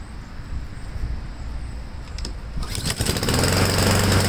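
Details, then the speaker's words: Husqvarna mower engine restarted cold with the air box on, after checking the carb mounting gaskets and choke: stumbles and sputters unevenly, then picks up and roars. Owner expects sputter until warm and hopes a new carburetor cures it. "we're going to start it up one more time and it'll probably sputter until it warms up"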